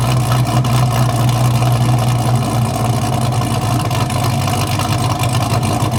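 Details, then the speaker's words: Newly installed engine in a wrecked 2023 Corvette C8 being rebuilt, started untuned; strong low exhaust rumble at idle with a slightly uneven big-cam pulse, no knocking or grinding, running healthy. "Hopefully, when it idles down, it gets that nasty chop going."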